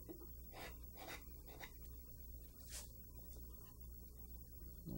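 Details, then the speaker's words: Macaroni gouge carving an eagle in wood: several crisp slicing strokes, each a short airy whistling hiss over a low hum; clean cuts indicating a sharp tool. "you can listen to that that whistling sound is a sign of having a sharp tool"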